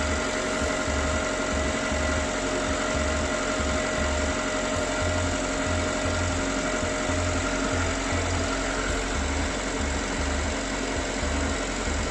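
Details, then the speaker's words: Ravon R2 / Chevrolet Spark M300 with B12D2 (LL0) engine, 112,000 km, 5W-20 oil; first start after repair of the engine noise, coolant at 23 °C. Steady, even, quiet idle with no knocks or ticks; normal cold idle. "смотрим как работает мотор мотор работает тихо"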